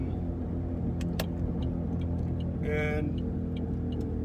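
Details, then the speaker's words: Saturn Ion coasting with foot off the gas: steady low droning rub that varies with road speed rather than the engine, heard from 15 mph up; owner attributes it to the wheels, possibly a wheel bearing, unconfirmed. "and it makes this noise based off of how fast i'm going so i have my foot off the gas it's not the engine it's still the it's the wheels spinning around"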